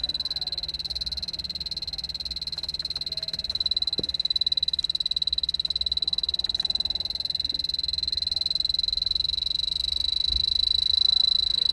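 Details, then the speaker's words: 2003 Toyota Prius, key on, blower moved from low to high with the leak detector at the vent. The detector ticks about four times a second over a high steady tone and quickens as the blower rises: refrigerant leak under the dash. "were you able to see the light flash faster and you hear the tone increase and i just went from the middle okay to the high mark we have a leak under the dash"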